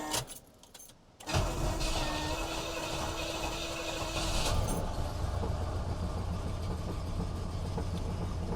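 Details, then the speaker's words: 1971 Buick LeSabre Custom 455 big-block V8, 41,000 miles, cold start: starter whirs, then a fast cold idle with a rough, chuffing, uneven exhaust note; exhaust leak. "God that exhaust sounds like crap I really want to get it fixed by the time this weekend comes"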